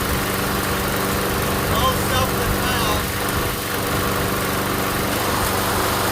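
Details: MTD Gold self-propelled mower with Briggs & Stratton Quantum engine, primed and started outdoors after pull-rope repair: steady, even putter, birds in background; runs good, self-propel intermittent, front wheels suspected.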